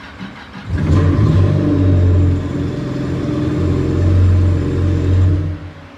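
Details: Yamaha FZR 1800cc WaveRunner that had no crank and no start, fixed by cleaning a loose contact on the negative relay. A short crank catches at once, and the engine revs and holds a smooth, even drone before easing off, a normal start.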